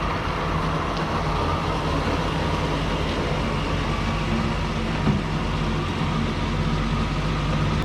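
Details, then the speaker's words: 1937 Chevy 216 inline-six barn find, driving around a parking lot: steady even low rumble with no misses or knocks; running good. "Alright, so that's that. It is running good."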